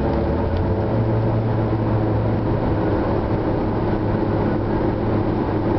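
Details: Acura Integra at 3/4 throttle in 3rd and 4th gear: steady droning engine note held under heavy throttle with no clean pull, clutch slipping instead of driving through.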